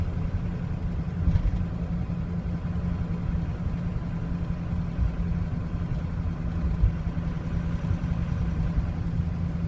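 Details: 2003 Ford Excursion 6.0L Powerstroke diesel, warmed up: deep idle that lopes unevenly, loudness surging and sagging; rough idle with stumbling and stalling when hot, though it starts fine from cold.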